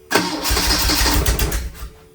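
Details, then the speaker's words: 1981 Fiat X1/9 with dual Weber conversion, first starts: engine cranks, barely catches and stumbles unevenly for a second before dying; spark plug wires found installed backwards, firing out of order. "Come to find out, all the wires were bats backwards."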